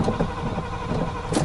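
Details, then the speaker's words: 1986 Chevy K10 four-speed truck, first start after 9 years parked: churns over with uneven puffs and never catches; carburetor run completely dry, old gas and possibly plugged idle circuit suspected; fuel starvation. "the idle circuit could be plugged a little bit. Actually, the choke circuit was in was working there. So, that was keeping it going. Let's try it again."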